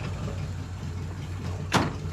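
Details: Mk2 Escort back running after two cylinders stopped firing from an ECU fault, with a worn-out cheap exhaust: even, steady low idle with no misfire stumble and one short thump; normal idle on all cylinders.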